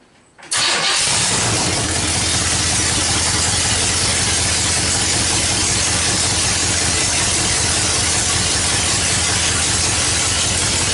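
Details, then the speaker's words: Stock 305 small block V8 from a truck, swapped into a 1931 Ford coupe hot rod, radiator and shroud not yet installed, no headers: cranks briefly, catches cleanly, settles into loud, even, steady idle with no misses or knocks; normal start and idle. "Just a 305 small block, nothing special as far as I know. It's just a stock motor out of a truck. To me it sounds pretty crazy though. Let's fire it up."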